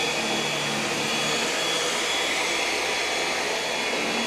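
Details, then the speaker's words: EcoVacs Deebot X9 Pro Omni robot vacuum-mop in vacuum boost mode while mopping: strong, even high-pitched rushing hum of suction fan, no rattles; healthy normal boost suction. "It's utilizing that vacuum boost mode. There it goes again."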